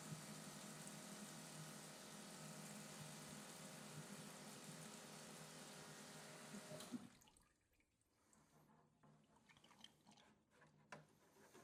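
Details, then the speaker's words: Electric fuel pump on a carbureted LS-swapped Fairmont, wired up before first fire-up to flush the fuel lines (some crud suspected): even steady whir with fuel rushing for about seven seconds, then clean cutoff; pump sounds healthy, normal. "But fuel pump sounds good. Sounds healthy."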